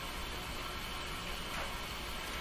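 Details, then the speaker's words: A battery-operated radio tuned near 17 MHz held up close to a light: steady hiss and crackle like light rain; RF interference from the lamp. "does that sound like it's raining right up near the light go into the light"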